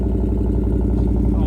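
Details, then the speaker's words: Ford Mustang Terminator Cobra with replacement 4.6 L 4-valve 2003/04 Cobra engine that had knocking and ticking: deep, lumpy, loping idle with an uneven pulse, smoky, some vibration, passenger-side bank suspected; damaged piston. "Smokey you can hear it it sounds hurt"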